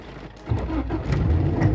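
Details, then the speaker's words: Honda Civic that won't start with check light staying on after rain, water leaking in and wetting the ECU so the fuel pump doesn't prime: after nearly two minutes of waiting, the engine catches half a second in and settles to idle; delayed start, worsening over time. "ahí si prende normalmente Y eso va a ir pasando y antes va a ponerse todavía peor"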